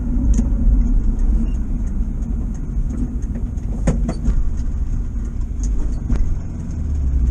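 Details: 1973 VW bus, air-cooled, on the road: low drone under road noise that bogs briefly when pulling away at junctions and roundabouts before picking up; flat spot from retarded ignition timing, fixed with a small timing adjustment.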